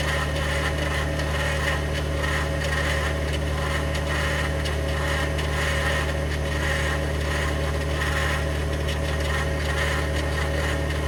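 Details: 2021 Ford F150 PowerBoost hybrid, remote cold start at about minus 20: steady low idle rumble with rough gritty grinding/cavitating noise layered over it, unchanging; source undetermined.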